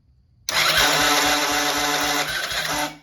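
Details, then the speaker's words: Small machine cranked on a freshly charged 12 V battery: a harsh, rattly whirring crank with a rough low thump about every quarter second, sounding wrong; the starter motor is faulty and was replaced, after which it sounded much better. "over fine um but it sounds like really crazy so i'm just going to swap the starter and then see what that one sounds like"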